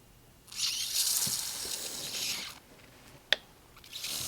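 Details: 1988 GMC C7000 dump truck fluid reservoir, openings stoppered and pressurised with compressed air under soapy water: irregular wet fizzing and bubble popping with a sharp snap at the leak, later brazed with acetylene torch; air leak.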